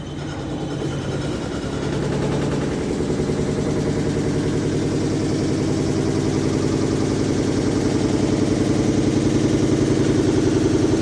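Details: Samsung front-load washer in final spin: loud, rapid rattling drone from a failing rear drum bearing, with the drum scraping and shredding the front rubber door seal.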